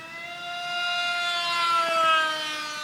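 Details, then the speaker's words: FlyCat EDF foam jet converted to pusher prop, GH Micro Jet V3 brushless outrunner, 6x4 prop, in flight: loud, buzzy, harsh whine rising and falling with throttle; cause unknown. "Alright, let's see what this thing's main malfunction is. It was making an awful noise."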